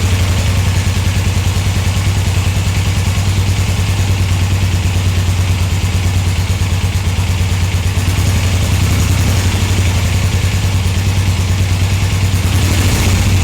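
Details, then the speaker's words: 1981 Suzuki GS450L twin after replacing Mikuni carburetor slide diaphragms, in cold weather, idling in neutral: even steady idle with firm regular beat, no popping or hunting; runs well. "It sounds good."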